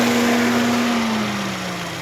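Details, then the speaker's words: Fiat Palio 1.6 8v SPI cooling fan after a noise repair: smooth, airy rush with a clean hum easing slightly lower in pitch, with no rattle or scrape; fan now running normally. "Agora sim, zerada, barulho normal."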